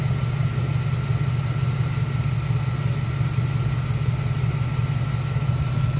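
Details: LT1 engine idling with short, high chirpy squeaks at uneven intervals. Noise began two days after a new fan clutch was fitted, stops when the clutch engages and returns when it disengages. Mechanic suggested the water pump; the fan clutch was bad.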